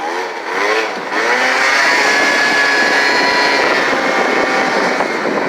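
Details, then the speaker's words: Hyosung SF50 scooter accelerating from zero with the wrong, too-light variator rollers: high, buzzy pitch climbing quickly without matching pull, slower than the usual four to five seconds to 30 mph, like starting in second gear with no first; rollers too light, revs too high. "so those rollers too light but almost makes you pop a willy yeah you can tell they're off so it's like starting out in second gear i don't even get a first"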